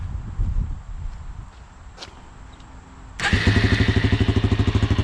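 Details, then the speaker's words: 400 motorcycle (called both Suzuki and Kawasaki), brought in for not starting with a suspected head gasket, after repair: quiet ticking, then it catches on the key and settles into an even idle of about three pulses a second; normal start and idle. "it's running perfect i took it for a ride"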